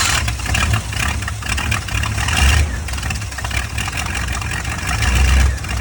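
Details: Old squarebody GMC pickup V8 after fitting all new parts including new coil, previously not staying running; keeps running with a deep, steady rumble and light throttle blips, no stumbling or dying; hopefully fixed.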